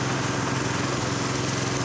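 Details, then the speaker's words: Honda F501 tiller with brand-new replacement engine, first start (one pull) on choke, no smoke: small single-cylinder holds a steady, brisk buzz at about 2100 rpm idle, set a little high but acceptable; slight lean exhaust popping noted. "let's get the tachometer idling about 20. 2100 it's a little high but it'll be fine"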